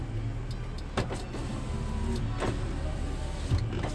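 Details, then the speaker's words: 2004 Mercury Sable wagon, right rear window that works only intermittently and then would not go down: steady low motor drone under the car hum; intermittent power window, electrical fault being traced. "Now mind you, this one was working intermittently. Now it's not going back down. I'm hitting the button."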